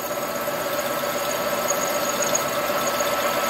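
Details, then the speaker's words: Lathe facing the flange of a Farmertec 288 cylinder, steady shrill ringing squeal of tool chatter over the lathe hum; vibration lessens closer in. "hear that chatter when you get when you're cutting the flange and i'll take it right to zero and then i'll stop"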